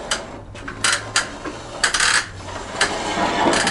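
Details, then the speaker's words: Cheap, dropped, worn motorcycle slowing down: short gritty crunches in uneven bursts about every half second from the brakes; crunchy grinding brakes, cause unconfirmed. "hopefully you can hear something's rotten in denmark with how this thing sounds maybe you can hear the brakes they're a little bit crunchy"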